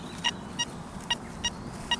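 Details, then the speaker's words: Metal detector running the Forager 2.0 program in a pasture: a short bright good-sounding tone followed by a rough little iron grunt, fainter or grunter depending on swing angle; not a clean target, likely iron. "So first and foremost, that sounds pretty good, doesn't it? But if you can just hear afterwards, it's got that little grunt to it, that little iron"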